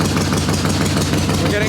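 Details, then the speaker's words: Harley Ironhead Sportster chopper, not yet warm, carb jetted leaner: loose, lumpy idle about eight thumps a second with deep exhaust note, running rich on choke; owner suspects choke circuit over-fuelling, lean once choke off. "so in my head it's still telling me it's getting too much fuel from that choke circuit if I'm opening that up it's pulling less fuel in"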